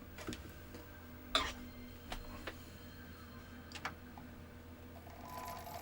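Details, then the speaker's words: PlayStation 1 (SCPH-9002) disc drive while playing a disc: faint, irregular ticks and clicks over a quiet background; drive audibly skipping and struggling to read, cause unconfirmed. "I'm going to run it in for a bit because I can hear it skipping. But at least it's playing."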